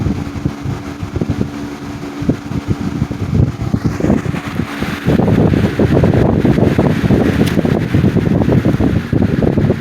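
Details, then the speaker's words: 1987 Patton CA-1284 12-inch rotary box fan after repair, blade clamped tight on the shaft it had been slipping on; smooth whoosh and low rumble, racket gone, still slightly out of balance. "that racket is gone no noise at all"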